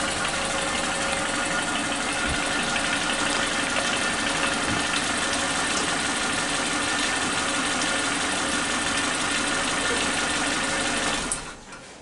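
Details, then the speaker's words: Suzuki Katana engine idling with new spark plug wires, exhaust sound heard: even, regular beat with no popping or small explosions as before; normal idle. "Ini kita bisa dengarkan suara di knalpot, tidak ada suara nembak-nembaknya lagi. Rata dia. Ketukannya atau suara mesinnya itu rata, tidak ada ledakan-ledakan kecil seperti di video sebelumnya."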